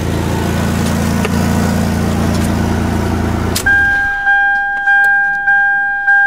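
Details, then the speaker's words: 2000 Toyota 4Runner after fuel pump replacement, restarted after tightening a leaking fuel connection: the engine idles smooth and even for a few seconds, then shuts off with a repeating two-tone chime; runs great with no leaks; normal idle. "Alright, so it starts up, runs great, no leaks. The job is done."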